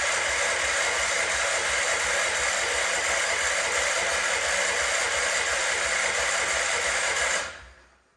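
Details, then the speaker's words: Wheel Horse C-120 garden tractor, said to have run before, cranked with the fuel system empty after spilled petrol and a broken wire. Steady high starter whirr, about four compression beats a second, never catches, then winds down; no start from fuel starvation. "Got to get fuel up, don't forget, the whole system is empty, so."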